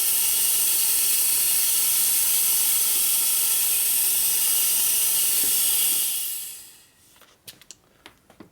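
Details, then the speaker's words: eBay air-driven nitrous oxide transfer pump, freshly cleaned, running on regulated dry air at 100 psi: loud steady air hiss with fast even ticking, cycling but not pumping; failed. "so that looks like it's no good yep not working looking internally there that's terrible"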